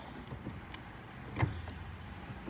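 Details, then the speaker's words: Newly installed Granatelli line lock on a 2010-2014 Mustang, tested after two brake pedal pumps to build line pressure: a few sharp, light, irregular clicks over a quiet background; the solenoid is clicking and working. "2 pumps, you can hear it clicking. We are good, guys. We are good to go."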